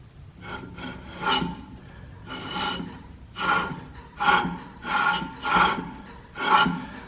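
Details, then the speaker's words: VW Golf rolling, heard from inside: dry rasping scrape in rhythmic surges about every 1.5 s; owner suspects rear brake dragging from worn pads or badly rusted e-brake cable, before replacing all brakes, calipers and rotors. "But these things are rusted like super bad. So when it's rolling, you can kind of hear it inside the car."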